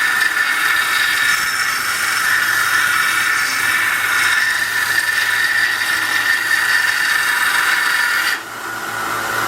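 Steady high-pitched whir with an even gritty hiss of steel on the belt, no knocks or wobble; sander running smoothly under light load.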